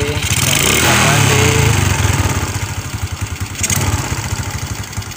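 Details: Suzuki Shogun 125 that would not start despite having spark, fuel and compression (weak coil, CDI or stator suspected): the small single-cylinder bike now fires and settles into a steady, even putter with no misfire.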